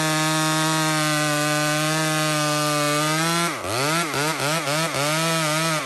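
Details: Small Homelite two-stroke chainsaw cutting maple: a high steady scream, with pitch dipping five or six times as the chain bites and recovering cleanly. Healthy cutting.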